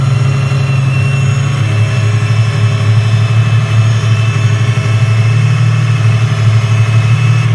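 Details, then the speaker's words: Chevrolet Opala petrol engine at idle: deep steady hum with a thin constant whistle; noise stopped after addressing a false air intake at the first intake manifold base, ruling out the camshaft timing gear; intake manifold vacuum leak. "não sei se no vídeo deu para reparar mas o barulho parou bom apesar dos pesares dos males o menor né não vamos ter que desmontar a engrenagem do comando então o problema na realidade é entrada de ar falsa mesmo nessa primeira base do coletor"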